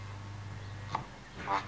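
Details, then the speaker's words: Panasonic RX-C100 boombox speaker during re-foaming, 100 Hz test tone: steady low hum breaks twice into raspy buzzy scrape as the cone is pushed off-centre; voice coil rubbing the magnet gap. "so you can hear right now it's centered but if I move it over it makes a terrible sound and"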